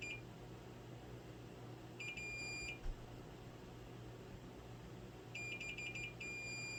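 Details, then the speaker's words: Golden Tee arcade board with damage after someone removed and resoldered the main CPU: multimeter continuity beeps, two bursts of short high tones over room hum, confirming a probed trace/via still has continuity. "Let's see if we can figure out if we do have continuity."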